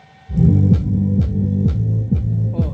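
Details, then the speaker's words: Loudspeaker playing bass music: sharp tick on each hard bass hit, about twice a second, from the loose tinsel lead wire slapping the cone; holding the lead down stops it, fix is shortening the lead. "batendo a cordoalha. Agora eu vou segurar a cordoalha embaixo, ó. Aí, ó. Resolveu o problema."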